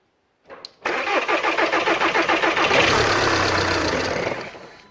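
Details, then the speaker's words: VW 2.0 TDI after a timing belt job, engine resting on a jack without mounts. Even cranking for about two seconds, then it fires and dies: fuel system not bled enough. After re-bleeding it ran perfectly. "and the answer is no i haven't bled the system enough but at least it started so i'm going to rebleed this system"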